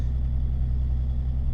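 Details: Turbocharged Megasquirt flex-fuel car idling while more methanol mixes into the 91 octane tank, ethanol-content sensor reading rising from about a quarter toward 50–60%: smooth, even low rumble with no misses or knocks, idling cleanly.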